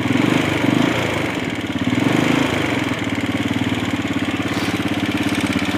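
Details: Honda CG250 single-cylinder at idle: a fast, light, even tick riding over the exhaust thump. Owner wonders if it is the valves; cause not confirmed.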